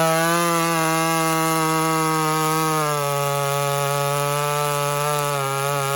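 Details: Walker-ported 850 chainsaw, 32-inch bar, freshly hand-filed chain with rakers lowered, running rich: strong steady high-revving note sagging only slightly in the wood; sharp chain cutting well.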